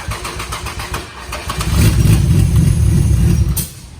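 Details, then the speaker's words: IS300 on Megasquirt, being chased for a loss-of-sync trigger fault, cranking after a 330 ohm resistor was bridged across the VR sensor wires: a steady four-beat-per-second starter cranks, then a heavy lurching kickback. Still not happy, cause unconfirmed. "Yeah, I heard it kick back. No, not happy. Does not seem happy."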